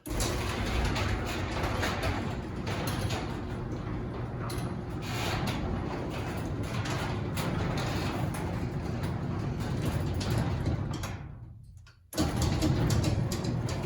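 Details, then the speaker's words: Garage door opener and door running with a steady low rumble, no squeal or spring creak, then stopping; much quieter after the springs were soaked with the same WD-40 PTFE spray lube used on the doors and rollers; normal quiet operation. "It's so much quieter now. I like that."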